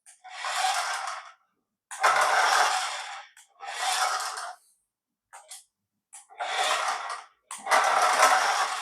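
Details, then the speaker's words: Paladone RC VW Campervan toy running on the floor: thin, buzzy, gritty chatter in uneven bursts each time the small motor drives, rattling from the plastic gearbox; gears have missing teeth. "Anyway, what I want to demonstrate, you can probably hear it rattling. There's definitely some gears missing."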